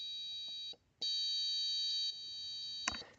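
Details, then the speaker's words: A test-circuit buzzer flutters, dropping out and returning irregularly, because the sensor reading of about nine sits near the trigger value of 10; raising the value to 12 stopped the ticking. "so now notice that I don't hear that I don't hear that ticking now uh noise um it was kind of fluttering a little bit because it was on the borderline of the range that we have"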